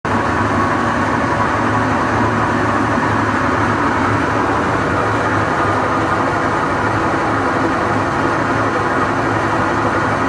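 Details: GE washing machine running with a loud, steady rumble and even roar, no clear knocks; loud continuous noise, cause unknown.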